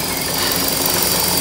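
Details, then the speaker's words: 2014 Chevrolet Cruze 1.8L with P0171 and P0300, purge valve unplugged, inlet disconnected, idling: loud steady hiss of vacuum at the line; purge valve stuck open, fuel trims near 40 dropping when plugged. "We're gonna look at some data too on the scanner, and we're gonna look at our fuel trims, and I'll show you how to check this right now. Hear a vacuum leak right away."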